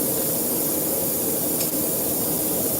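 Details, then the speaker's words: Broken tire valve part leaking air: a constant, unchanging sharp hiss at the valve after the core was spun off; the tire might have to come off. "Oh, yeah, no, there's another one. Yeah, this is actually broken, guys. Wow. Yeah, it's actually broken."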